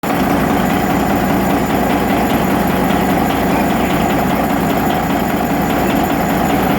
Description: The Injector was adjusted at a lower rate. You can hear the knocking.